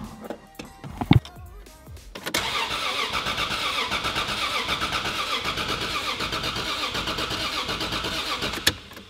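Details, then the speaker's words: Supra 2JZ-GTE VVTi swapped into a Volvo 940, automatic in park, first start attempt: quick steady cranking about four beats a second for several seconds, never catching; some wiring turned out to be wired wrong. "Well, that didn't go completely as planned. When I'm turning on the ignition, the car immediately tries to fire up."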